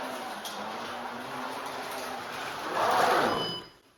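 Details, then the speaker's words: Carrera 1/32 Corvette slot car with new polyurethane tires on untrued wheels, before truing: a small motor whir passing by, with a rising gritty growl as it nears. Tires strike and rub because of the wheel. "If you can see the way the tires are striking, that's that intersection of that wheel causing that. Now listen how this sounds. This is exactly how that Mercedes sounded a few minutes ago before I did this work."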